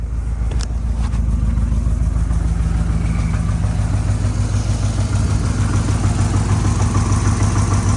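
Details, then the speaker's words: 2011 GMC Yukon Denali Hybrid, 168k miles, restarted after timing work following a no-start, with an exhaust leak underneath: uneven loping idle about three pulses a second, deep and throaty, later misfiring after ~30 seconds; rough idle, cause unconfirmed. "Sounds a little lopey. Let's let her learn here for a little bit."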